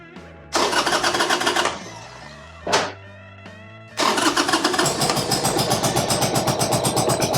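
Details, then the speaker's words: 1995 Harley-Davidson Sportster, cold start with choke: catches after a couple of tries, then runs ragged and stumbling, seemingly on one cylinder; suspected misfire. "okay sounds like it's running on one cylinder that's not good all right let's look at the spark plugs here we'll try it one more time just to make sure"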